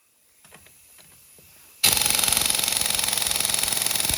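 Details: Urceri Compact Impact wrench after teardown and reassembly, reverse on setting 3 (highest), loosening a tire lug nut: fast steady hammering rattle for seconds without the nut breaking free; wrench short of torque.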